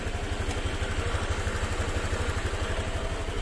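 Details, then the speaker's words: Honda Vario 125 FI scooter after a rough-noise repair, reassembled with the piston set at top dead center. Ticks over evenly at about three pulses a second, a steady low thrum with no knock or rattle. Normal idle: smooth. "hasil akhirnya halus ya ahah halus teman-teman jos responsif sip"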